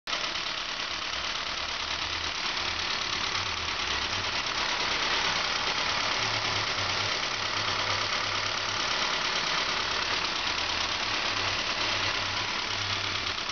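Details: Saab 9-5 2.0L turbo with a fully rebuilt replacement B205E engine, first start: quiet, steady idle with a soft even pulse under a constant hiss, no knocks or misses; healthy idle.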